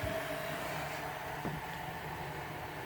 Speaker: everything is pristine on this there is the ribbon cable I reconnected you can hear that baby heating up